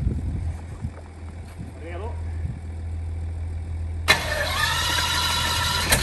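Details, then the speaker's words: Meteor Interceptor, first start after complete rewiring to new engine management, car jacked up to run gearbox through gears: catches instantly, steady even idle, no smoke, smooth and strong; gearbox worked; normal idle. "no smoke no smoke sounds very nice really nice smooth and strong yeah gearbox worked as well"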